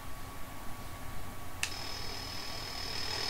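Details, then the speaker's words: Shortwave receiver switched on with antenna collapsed: steady hiss with a thin whine, then a click and a high steady whistle or ringing, all generated by its own noisy electronics. "that weird noise you've got, which is like a weird, I don't know if you guys hear it really well, but it sometimes shows up like a weird ringing from within. That is entirely generated within the receiver."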